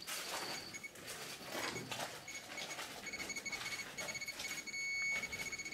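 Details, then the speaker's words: Geiger counter in a Chernobyl hospital basement full of highly contaminated firefighter clothing from the first days after the disaster: a dense, rapid stream of sharp ticks at about 30 counts per second, showing intense radiation. "I was getting intense readings as you can hear lots and lots of counts"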